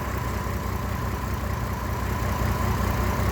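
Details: GMC Envoy with 251,000 miles, camshaft position sensor code, owner suspects misfire or bad cam sensor; low, lumpy, uneven idle with a slight shake, rough running, cause not confirmed.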